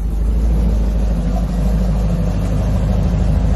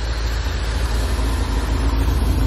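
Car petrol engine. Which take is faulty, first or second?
second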